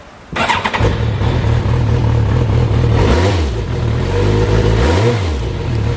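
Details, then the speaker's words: 1993 Yamaha GTS1000, fuel-injected 1000cc inline-four tuned for bottom end and mid-range, 26,000 miles, revived from museum display: starter catches quickly, then an even idle with a steady low hum and two brief throttle blips, with no mechanical noise. "And what Yamaha did for this 1000cc inline 4 for this bike compared to the FZ1000 is they tuned the motor to have more bottom end and more mid-range because it's a touring sport bike as opposed to just a full-on sport bike."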